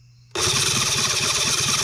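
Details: New Cison L4-175 flathead four-cylinder model engine, first start attempt on an oak base with the main jet closed: sudden harsh cranking with uneven, lumpy low pulses and no catch. It won't start.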